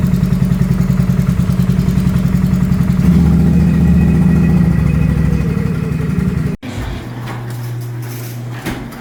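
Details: 2022 Can-Am Renegade 1000 XMR idling in garage; lumpy loping idle about three and a half heavy chuffs per second with front cylinder dead, spark plug boot arcing to engine block.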